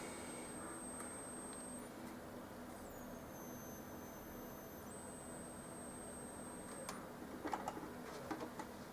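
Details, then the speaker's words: Samsung SyncMaster 2043 monitor that restarts and often fails to switch on the first time: a thin, very high steady whistle that jumps in pitch and settles back; power supply lamps or capacitors are suspected. "думаю слышен свист такое очень подозрительный и он вечно перезапускается"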